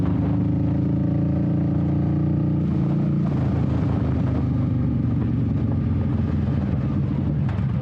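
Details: 21-year-old Honda Shadow V-twin with a new Vance & Hines exhaust and repacked fiberglass baffle, on its first test run with new wheels: a deep, mellow burble pulling smoothly through the revs, tamer and less raspy. Normal running.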